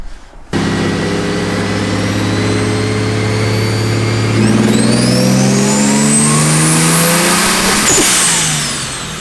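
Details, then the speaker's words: Engine-swapped car on a dyno, boost raised from about 10.5 psi with 25% boost-controller duty while aiming for about 15 psi: pitch climbs hard, then stumbles and cuts near the top; boost built too quickly and hit boost cut. "that was hitting boost cut cuz we made all of the Boost way too quick it was hitting moose cut right that was moose cut"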